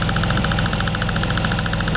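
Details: Car engine at warm idle with noticeable engine rocking: a light, quick tick rides steadily on top of the idle and never changes. The ticking source is unknown.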